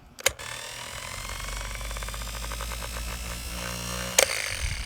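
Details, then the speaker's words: 1950 Chrysler DeSoto flathead six's starter motor, removed and bench-tested on 6 volts: sharp snap, then a lazy whir with slow even ticks and sparks, slower than it should be; slow starter motor. "oh Sparks pretty lazy not going to lie why is it so lazy shouldn't it be a little faster than this"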